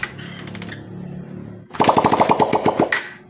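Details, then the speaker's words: Raider 150 carbureted motorcycle after repair for sudden loss of compression while riding, test-run with valve cover off to check oil reaching the head; soft idle then sharp rapid firing on throttle blips, oil rising; normal running. "Quick testing lang muna kasi wala pang takip yung kanyang cylinder head. Nakita naman natin na umaandar na at umakyat na yung kanyang oil."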